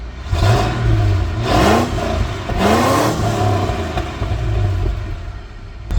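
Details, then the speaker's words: Ford LTD 5.0-litre V8 revved twice: revs rise and fall with a muted, thin exhaust and little bark, with a whirring accessory (power steering pump) above it; exhaust far too quiet, to be fixed. "5 litres should sound amazing. That is terrible. So yeah, we will fix it."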